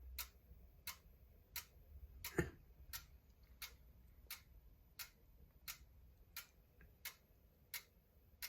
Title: Clicking sound in sleep mode